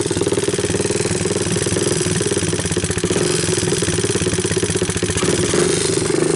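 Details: 1988 Honda TRX200SX abandoned for years, cold started with a new PZ27 carburetor and bypassed harness, camera brought close to hear the valves, idle turned up on choke: a steady, even single-cylinder putter rising slightly at the end with no knocks, a healthy motor.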